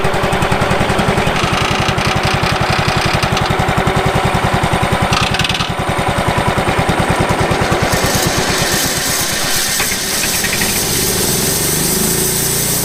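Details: Late-1990s Wood-Mizer LT15 sawmill engine, long-stored, after maintenance, still running despite its age: steady even firing about 3.5 per second held smoothly: normal running.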